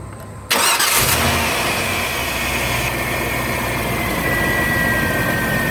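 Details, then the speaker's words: 1996 Chevy Tahoe 5.7 that wouldn't start after days of heavy rain; after drying out and WD40 on the distributor cap and a seven-minute wait, it catches at once after a short crank and idles evenly; normal start and idle. "hey let's start it it started right up naughty - don't have to sit"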